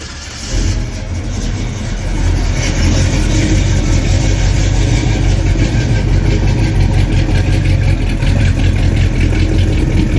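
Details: Chevrolet Squarebody pickup with a fuel-injected big-block V8, a big cam and a turn-down exhaust: it cranks, catches and settles into a deep, loping idle with a lumpy cam beat. It sounds healthy and steady.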